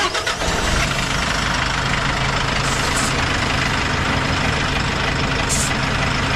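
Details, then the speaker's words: Friend's 4.2 m light truck, started cold: catches and settles into a steady, even idle with no gearbox rattle, same with clutch pressed or released; normal idle for comparison with a new truck's clutch-up clatter. "但是刚才他这个凉车吧，打着之后啊，也没有什么动静，人家踩下去离合跟抬起来离合都是一样的。"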